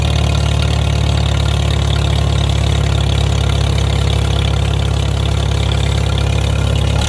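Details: Farmall M tractor engine idling normally after re-crimping a loose wire, testing a new double fuel-filter setup, not yet under load: deep, throaty idle with an even, steady beat and no skips or stumbles.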